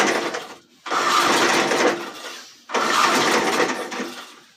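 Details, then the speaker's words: Old JC Penney high-wheel 4 horsepower 22-inch push mower with original engine and carburetor: short coughing bursts dying within a second or two; hard to crank and won't keep running, carburetor junk. "it wants to all right so that takes a lot to crank something like that"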